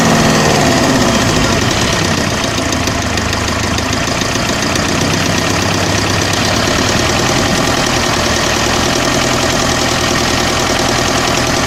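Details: OM601 2.3 diesel idling with a steady, hard knock over the clatter at about four per second, unchanging at this speed; an engine knock, source unknown.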